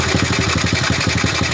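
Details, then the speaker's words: Old Honda Supra motorbike with lost compression and a valve leak (valve gap already checked fine): loud, fast even clatter about fourteen beats a second over steady idle, coming from a slack cam chain; tensioner may need retightening. "this sound is a bit loud, this is coming from the chain"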